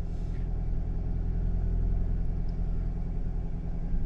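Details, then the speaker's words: 2001 Toyota RAV4 2.0L four-cylinder idling with a deep, even rumble on all cylinders after ignition coil packs and spark plugs repair; check engine light no longer blinking, live data zero misfires. "well the check engine lights not blinking that's a good thing and when checking the live data we have no more misfiring all zeros"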